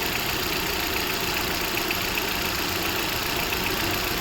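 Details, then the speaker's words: Hyundai i20, started after replacing the broken-bearing AC compressor clutch pulley assembly and the belt: smooth, even idle with a steady hiss, the earlier rough noise from the engine gone; healthy idle. "Car को मैंने start कर दिया है। सुन सकते हो आप लोग। Clearly आवाज आ रहा है। साउंडलेस है। पहले वाला आवाज बंद हो चुका है।"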